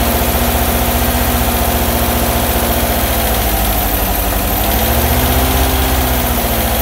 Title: Bus engine noise 2